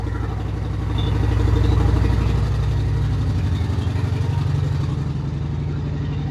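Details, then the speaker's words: Honda Shadow Spirit VT750 V-twin with new Chinese aftermarket carburetors, after raising an idle set far too low, choke then turned off: even, loping steady idle with no misses or mechanical noise; healthy normal idle. "So, I adjusted the idle and now it's running. That's a good sign. It sounds healthy."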